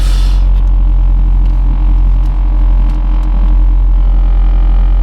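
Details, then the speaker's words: Honda Fit (GE8), modded, with solid engine mounts, heard from the cabin at idle: heavy, steady low drone as the mounts pass engine vibration straight into the car. "It has Can you hear that vibration? Solid engine mounts. Oh my god. That's a lot of vibration."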